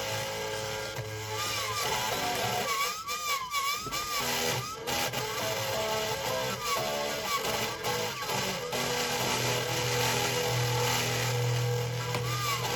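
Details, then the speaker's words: Marshall MG30CFX guitar amplifier with gain and master at full: guitar comes through quiet, fuzzy and buzzy; damaged speaker voice coil, later replaced. "The problem with this guitar amplifier is the sound is very low and a very distorted sound, as you can hear in this video."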